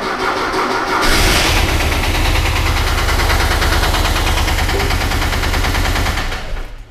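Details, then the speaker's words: Porsche 914 with 50,000 original miles, sat 35 years, revived then driven about 250 miles: cranks, starts and idles with a steady sharp metallic rod knock under exhaust beat; oil deterioration from sitting blamed. "Rod knock. Now, how in the world can a 50,000 mile original car, and we know it has 50,000 miles, we bought it from the nephew of the original owner."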